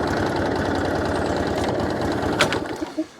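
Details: Hayter 56 Pro mower whose oil suggests it was tipped or overfilled: on full throttle and choke it plods at a low, lumpy beat, never reaches full speed, then shuts off; underspeeding.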